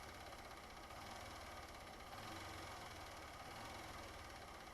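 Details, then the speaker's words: 2015 Honda Fan 150 motorcycle, about 62,000 km, after fixing engine noise: quiet steady single-cylinder idle with only faint light ticking and no loud rattle; noise much reduced, normal idle. "mas para ver se o barulho que tava diminuiu bastante tá vendo"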